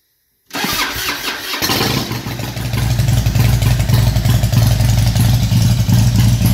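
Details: 2004 Harley-Davidson FLHTCU after Feuling cam plate and oil pump upgrade (oil pressure just over 32 psi before): brief crank, then the V-twin catches and settles into an even loping idle near 220 beats a minute, no ticking or knocking.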